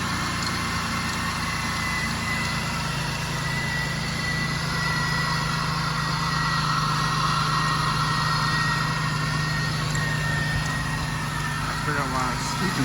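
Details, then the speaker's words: 2003 Pontiac Bonneville 3800 V6, 180,000 miles, after new radiator, coolant, thermostat and ignition coil: steady, even idle with a smooth low hum, no knocks or misses; normal idle. "this coil right here went out so I got a new coil on here and the car runs perfect so let me start it up for you"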